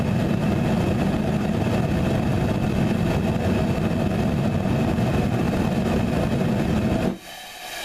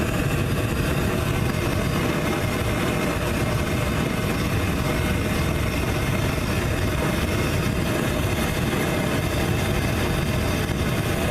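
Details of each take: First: Homemade Frosty T burner with a short nipple and small bell, half the air intake covered, gas pressure cranked up on the regulator: a heavy, pulsing roar for about seven seconds, then it blows itself out. This combination is judged not the way to go. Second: Frosty T burner (1-1/4 to 3/4 bell, 1x3/4 tee with 1x1/2 bushing): steady even roar with deep rumble, no popping or surging; bushing removed it backfired wildly, air pinched down gives a stable cone.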